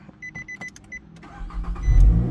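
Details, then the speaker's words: 2009 Nissan Altima that was stuck in security mode with no crank, after the steering lock unit was reconnected. A few chimes, a short crank, then it catches cleanly and settles into a steady idle. Normal engine start. "Boom! Start. No problem."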